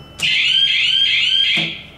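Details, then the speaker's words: Church Ave. Garage elevator, Roanoke VA, with old Gal Jet Plus fixtures, before its Thyssenkrupp modernization to a Hollister-Whitney drive: car alarm bell rings steadily and high-pitched for about 1.5 seconds, then stops; works normally, possibly its last ring. "while we're up here we'll hear that alarm bell one last time"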